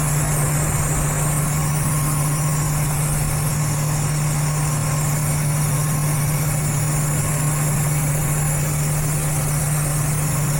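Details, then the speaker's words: Engine idling with hood open, short-term fuel trims both at 30%: steady idle hum with constant airy hiss unchanged by the engine; a leaking vacuum hose was found, and covering it brought trims back to normal. "It's alright. I do kind of hear a vacuum leak or something. What is that?"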